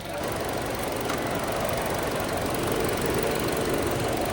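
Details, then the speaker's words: Chevrolet Trax after cylinder head work, first-start idle with electric radiator fan switched on automatically; steady idle under airy fan rush, no knock or miss; air still in coolant, heater blowing cold, bleeding needed. "nag-automatic na yung fan. >> Oo. >> Ikot na eh."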